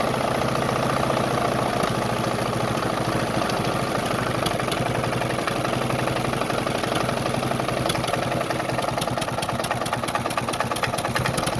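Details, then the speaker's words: Briggs & Stratton Intek single-cylinder mud-racing mower engine running after carburetor work: a light, uneven knock only on throttle with some exhaust chuff; an exhaust leak is suspected, the needle may be overflowing, and the cause is not pinned down. "Man, are you serious? sounds a little knocky. Definitely has an exhaust leak, I think, too. But yeah, it sounds a little knocky."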